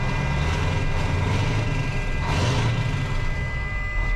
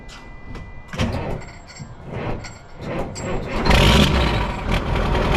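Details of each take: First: Mack CL713 E9 V8 500 hp diesel truck, newly bought, idling: deep smooth continuous rumble with no knocks or misfires; runs pretty smooth. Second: Mack CL713 E9 V8 500 hp diesel truck, newly bought, first start: several slow labored cranking pulses before it barely fires and settles into a rough steady idle; oil pressure comes up.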